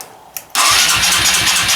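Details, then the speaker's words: Engine jump-started from a Noco booster pack, with choke applied: quiet clicks, then it catches abruptly and settles into a loud, even run with a rapid low pulse. A clean start. "yeah so that's good give her a bit of choke in there and we'll see if she'll fire up here it doesn't seem too bad"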